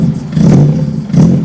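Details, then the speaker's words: BEAMS-swapped Toyota AE86 just dyno tuned, first start after tune, not yet warmed up: two quick throttle blips rise and fall cleanly with no stumble or misfire, then idles; sounds healthy and crisp, "like a beast." "sounds like a beast, man. That sounds like a beast. Alright, lights work, this thing's idling."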